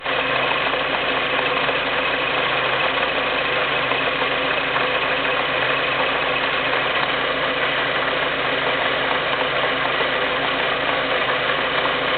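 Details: Skoda Fabia (6Y2) at steady idle with a dull rattling clatter running through it, no change in speed; abnormal transmission noise, cause not pinned down.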